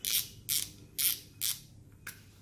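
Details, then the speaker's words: 2006 two-drum Japanese-made fishing reel with bearings, turned by hand, light crisp clicking about twice a second, smooth with no grinding or odd noises; normal reel rotation. "Đây hoạt động là chuẩn nha, không nghe tiếng kêu lạ luôn nha. Thấy không? Quá mượt, quá trời mượt."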